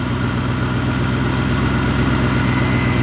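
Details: BMW E39 540i/6 V8 after refitting the missing EGR/secondary air pipe, idling heard from inside with blower and heat on full: smooth, even low pulse with blower rush; normal idle.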